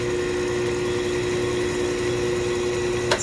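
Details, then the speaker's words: Stoelting F231 soft-serve machine during AXV valve balancing, one flavor side freezing: steady compressor hum, then a sharp click as the refrigerant solenoid shuts off on reaching Serve 2 at the end of the freeze cycle; normal. "And as soon as it gets to serve 2, it should click off. The solenoid will click off on that. And then you'll just see the gauge like jump back. You hear the solenoid?"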